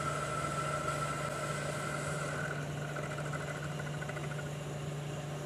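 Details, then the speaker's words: 1973 Hardinge chucker lathe at about 800 RPM after switching to a bigger boring bar: a steady low hum with a light cutting hiss and no chatter or squeal, a smooth boring cut. "The bigger bar already sounds better, doesn't it?"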